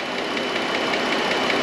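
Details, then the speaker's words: 2013 Chrysler Town and Country 3.6 Pentastar V6 at idle, stethoscope on left-bank valve cover: sharp fast ticking over the hum, in time with engine noise, loud toward the back; failing roller lifter. "yeah quite loud back there and if i take one ear out it's right in time with that noise that i'm hearing"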